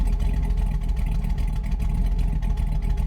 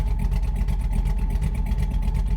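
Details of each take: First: LS V8 truck after cam swap, tuned with HP Tuners: in gear with idle target 600 rpm it chugs slow and lumpy, barely running; idle speed set too low. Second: LS V8 truck after a cam swap, idle tuned with HP Tuners, in gear with desired idle 650 rpm and IAC counts around 150 (target about 60); low, slightly loping, choppy idle; normal cammed idle.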